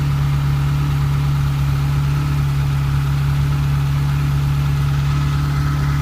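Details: Ferrari 308 QV V8 idling after the crumbled camshaft pulleys were replaced with aluminium ones and the cams were dialed in: a steady, deep hum with the ticking gone; the belt was thought to be set wrong at a service.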